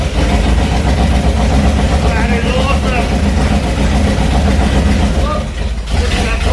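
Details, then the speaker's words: HT Holden newly installed 253 V8 with straight headers on its first brief run: loud, rough low rumble at fast idle with a clattery edge. The gauge showed no oil pressure and it sounded rattly; oil level was just below full. "It should have been, I think, to start building some oil pressure. And we didn't see any of it, and it sounded, well, rattly."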